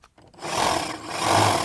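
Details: Husqvarna 536LiHD60X battery hedge trimmer with the handle safety switch engaged: it spins up to a steady, high buzzing whir with a slight surge and no grinding; blades running normally.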